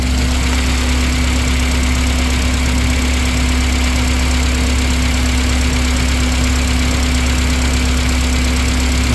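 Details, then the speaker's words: 2004 Honda Accord after running very rough and not starting: rough uneven idle with steady drone and irregular pops; coil swapped to test whether the misfire moves to another cylinder, so a misfiring cylinder is suspected, not confirmed. "You hear it popping now. So we got to change there."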